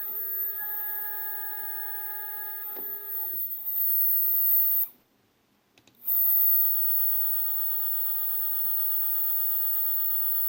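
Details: Single stepper motor (one of two same-spec motors unused for a year, formerly 3D printer X/Y axes) tested alone at 1000 feed: quiet, steady high hum with a few clean tones; running normally.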